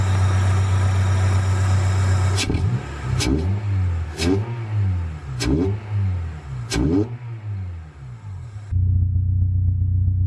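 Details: H22A4 Honda Prelude after throttle body cleaning and new K&N pod filter air intake fixed its low (about 400 rpm) rough idle: strong, even low note climbing and falling through quick blips, no misses or hunting; healthy.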